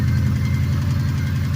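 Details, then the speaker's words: 2005 Subaru WRX STI engine (Impreza full swap) idling after being driven hard while low on oil and coolant: deep steady rumble with a loud, fast, even clatter; owner suspects serious engine damage. "you know that [ __ ] is such a loud clatter bro this thing"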